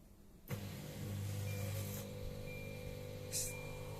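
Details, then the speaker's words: Samsung DW60H3010FV dishwasher with LE (leak) error and top light flashing constantly: steady low drain-pump hum starts abruptly and runs about 30 seconds before stopping, pump trying to work; owner needs to fix an apparent leak. "The sound sounds like the pump is trying to work. And the pump, if you time it, will take about 30 seconds and it will go away."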